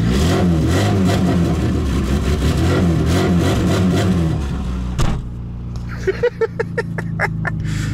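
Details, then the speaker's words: 1999 VAZ 21099 with Akrapovič exhaust, outdoors: loud revving with a sharp chuffing tick tracking revs, then idle puffs; exhaust leaking at a joint, location not yet found. "выхлоп акрапович сегодня есть чем заняться пацаны выхлоп менять [ __ ] Надо разбираться откуда он сечёт он на улице [ __ ]"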